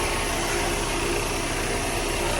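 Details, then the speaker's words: Cheap Volkswagen Golf convertible, started first try with no hesitation, idling at start-up: steady, even idle under hiss with no misses, knocks or hunting; sounds normal, not about to have a problem. "Sounds pretty good. Doesn't sound like it's about to have a problem."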